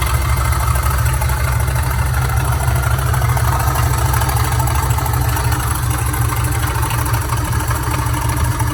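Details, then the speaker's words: Older Dodge truck idling in park, a sudden horrible noise that stops with the engine off: a rough, gritty whir at engine speed over the idle rumble. Owner suspected an accessory pulley, alternator or tensioner; bad idler pulley bearing. "all of a sudden I started hearing this really horrible sounding noise and I thought oh no is that me or is Jamie's band running it maybe that's his van no set my truck off and the noise stopped"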